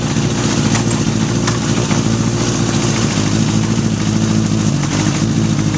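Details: 1981 Honda CB750 K1 four-cylinder on a test ride: steady low drone with uneven stumbling pulses, running poorly; vacuum leaks at carb boots and throttle shafts suspected, and the accelerator pump leaks fuel at its mating surface.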